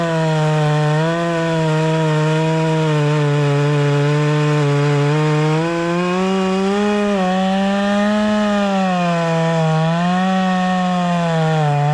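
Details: Proyard 450 chainsaw after repair of a no-run fault, cutting wood: strong steady buzz that sags slightly and recovers as it bites in, running clean and even; normal running under cut.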